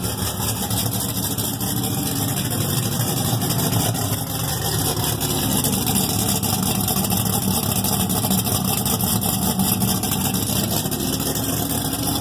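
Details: LS3 V8 in an off-road build (Exile Fab frame, Reid SH400, Atlas 2), first start after rebuild: steady, even idle with smooth low rumble and no knocks, misses or ticks; runs cleanly.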